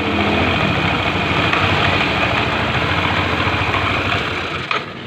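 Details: Yamaha NMAX scooter, brought in for rough engine noise like friction and worked on at the one-way clutch: an even, steady putter at idle with no rattle, slipping or knock, a normal idle.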